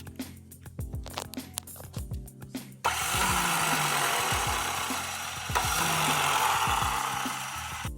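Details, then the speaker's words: 1986 Honda Rebel 250 CMX hot, where starter clutch fails to engage once warm: clicking then a steady airy whir with the starter chain spinning and engine not turning over; worn rollers, pins and springs in starter clutch, to be replaced. "they'll start okay when they're cold and then they'll get hot and the starter clutch will not engage so the chain will be spinning and it would sound something like this"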